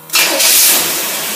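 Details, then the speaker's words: Carter four-barrel carburetor 4131S being tested on a running engine; quick catch and fire, then soft even hiss of a smooth idle with no misses or stumble, normal start and idle. "okay we got it cranked up and yet you can barely hear run it smooth"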